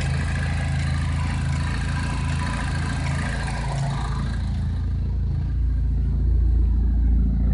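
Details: Chevrolet Cobalt SS with the oil cap removed: a low, lumpy idle pulsing unevenly about four times a second, getting heavier partway through. Rough idle, cause unclear.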